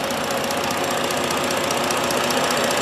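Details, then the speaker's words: 3.7 Duratec V6 swapped in with 3.5-programmed PCM, no codes, first run after install: smooth quiet idle with fast light ticking, normal fuel injector clicking. "all you hear is the injector ticks that is outstanding we did it we did it"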